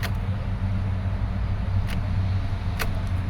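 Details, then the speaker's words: 2013 Subaru Forester SJ, FB16 naturally aspirated, crank no start after parking, jump pack on: sluggish, labouring crank with low dragging churn, never fires; suspected lost compression or flooded cylinders, battery also low, unconfirmed. "oh do you hear that that is not a healthy crank at all oh my god let's hear that again oh dear uh sounds to me that we have lost compression either that or we have flooded in uh one or two cylinders"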